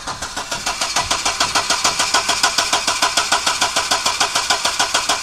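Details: 1995 Audi 80 2.0 ABK cranks evenly with no firing; fuel pump works, ignition cables and distributor cap recently replaced, cause unknown; cranks but no start.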